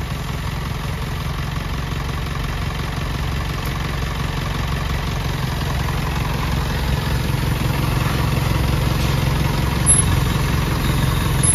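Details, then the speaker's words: Self-loader truck power take-off, which was noisy even when switched off, now repaired. Smooth, even low diesel rumble at steady idle with the PTO engaged, no whine or grinding; the noise is gone and the PTO runs normally. "Okay na boss na wala na yung ingay so Ayan mga kayab ah npatunayan mga kayabe na okay na yung gawan natin"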